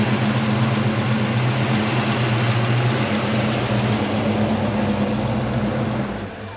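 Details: 1977 Chevy Nova Concours V8 after tune-up (plugs, wires, cap, rotor, fluids): steady, even low hum at idle, no knocks or misses; owner thinks idle screw maybe needs slight adjustment. Normal idle.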